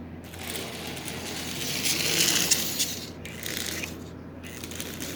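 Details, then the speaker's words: Marx 999 toy train locomotive motor bought for parts, decades unused, brushes and armature covered in oxide: a dry, scratchy rattle in uneven bursts over a faint hum as the armature begins to move, before silicone lubricant is sprayed in. "now these brushes and the armature are covered in oxide you hear it's beginning to buzz a bit of movement in the armature"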